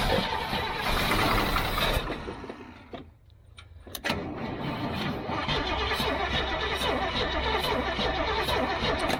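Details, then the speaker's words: Old gasoline GMC bucket truck with a Holley carburetor, choke pulled out: the starter churns steadily about three turns a second with no catch. No fuel is coming up through the fuel filter; fuel starvation suspected. "Yeah, there ain't no fuel in it for sure. So no fuel's coming up this."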